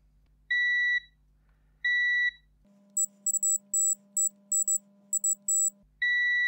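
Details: Faulty Xbox One S 1TB that powers on then straight off: clean, steady half-second multimeter beeps on each probe touch while checking filters for shorts; continuity, filters read as fine.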